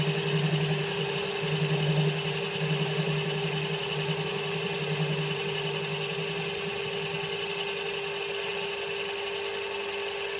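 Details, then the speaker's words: Home-built Gingery milling machine cutting a 6-inch aluminium pulley, not bolted to the bench, spindle freshly shimmed and running a bit warm, gibs adjusted: a steady motor whine with a pulsing hum and faint chatter from setup vibration. "As you can hear, there's some vibration going on through this setup also."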